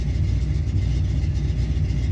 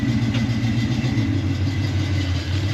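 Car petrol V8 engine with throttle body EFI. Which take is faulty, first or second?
first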